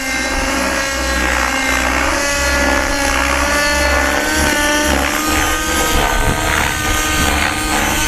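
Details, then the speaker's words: Nitro RC helicopter with a very rich engine: during rolls the blades give a raspy, smeared buzz instead of a crisp chop, a sign of rotor blades out of track. "it's not a crisp clean blade noise you know when you roll your helicopter you know the helicopter should sound crisp clean this shouldn't have any weird like lasting sound"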